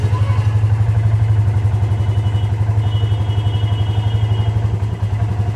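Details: Royal Enfield Classic Reborn after engine rebuild and timing chain setting for a smoke problem: it starts on the first self-start into a strong, even single-cylinder thump about four beats a second with no ticking or clatter; normal idle.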